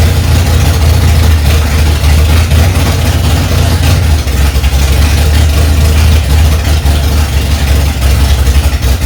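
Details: 1965 Ford Mustang, freshly rebuilt 289 V8, cold first start, carburetor mixture screws set two turns out: strong, even rumble at raised idle with a steady beat, no knocks or misses; running healthy.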